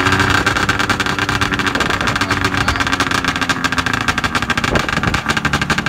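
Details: Arctic Cat ZR440 snowmobile two-stroke, first run after rebuild, about zero degrees cold, oily header gasket leak, needs fuel pump and carb tune: uneven lumpy idle with irregular popping and slow beat; idle speed too low.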